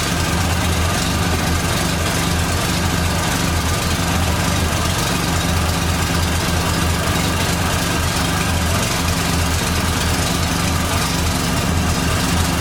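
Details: 1989 Dodge Daytona ES salvage-yard car: steady, even idle with a thin constant whine above it, noted as power steering pump whine.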